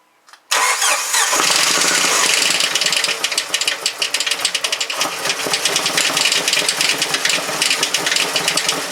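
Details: Jeep TJ engine needing rebuild, first start after sitting (it had only been out of gas): catches after a short crank and settles into a rough, uneven deep knock under harsh clatter; cause not identified.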